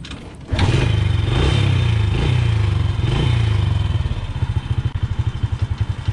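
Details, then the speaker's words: Honda Wave motorcycle that would not start despite fuel and spark and had soft kick compression (valves suspected stuck), after fuel was put in the chamber to clean them and the plug refitted: catches at once, revs smoothly, settles into an even idle; starts easily now. "Ayan mga boss ano umaandar na siya at madali na siyang paandarin"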